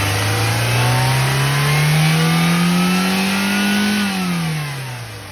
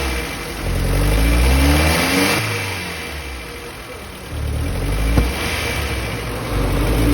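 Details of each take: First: Maruti Zen MPFI after fuel pump replacement, which fixed poor acceleration and popping from the air filter due to fuel starvation: engine revs smoothly up, holds steady, falls back evenly with no stumble or miss. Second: Maruti Zen MPFI: revs up sluggishly in repeated blips with small pops from the air filter area and uneven pickup; fuel starvation from a weak fuel pump, fixed by replacing the pump motor.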